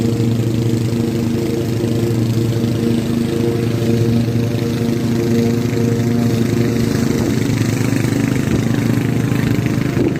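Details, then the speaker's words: Restored Craftsman T100 riding mower after belt replacement: steady, even engine hum with deck spinning smoothly, no rattle or the earlier marble-like clatter; normal running. "not exactly sure what it happened but the deck actually sounds like it's supposed to"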